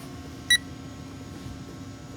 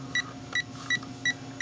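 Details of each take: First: Power Probe fault finder on 2008 Saturn Astra P0693 cooling fan relay 2 control circuit; sharp chirps every half second, then silence for several seconds where signal is lost in the harness, resuming at a bend, suggesting an open in the wiring. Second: Power Probe fault finder tracing the P0693 cooling fan relay 2 control circuit (reported open) on a 2008 Saturn Astra that failed emissions; sharp high beeps about every third of a second over faint hum as signal is picked up along connector and harness.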